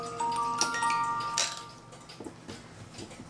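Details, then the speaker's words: Regula A-25-85 Black Forest cuckoo clock (1985) music movement, played on the table outside the case: the comb was worn from heavy play, so two screws were loosened and it was moved closer. Clear plucked notes now ring evenly, no buzzing or dropped notes. "So what I found was these combs are starting to wear because it's played so much, and so that's actually why this comb needed to be brought a little bit closer so now it plays."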